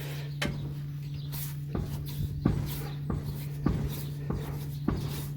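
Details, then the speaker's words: 1991 12-valve Cummins dually with death wobble, front jacked up: dull metallic clunks about once a second as the wheel is rocked by hand; no kingpin play, tie rod seems fine, bearing to be checked next. "you can hear that clunk um it doesn't do it this way check it with the rock bar it doesn't you know unload the kingpins no play that way"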